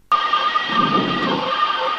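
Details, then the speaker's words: Cessna 172 landing at Monroe NC airport (KEQY), flying about 70 mph on approach then flaring: steady, fairly high-pitched stall warning horn over cabin and wind noise just before touchdown, as intended. "That noise is the stall warning horn that says, hey, you're about to quit flying. As long as it happens when you're that close to the ground, that's your goal."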